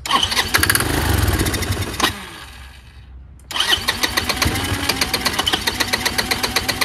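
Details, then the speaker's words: Chinese GY6 150cc scooter with new replacement carburetor, starts only with starting fluid: catches and revs, then sags and dies when throttle closes; restarted, chugs unevenly about four pulses a second and won't idle despite mixture and idle screw adjustment; cause unconfirmed. "so it won't idle either and I've messed with the air fuel mixture screw I've had messed with the idle screw for a long time"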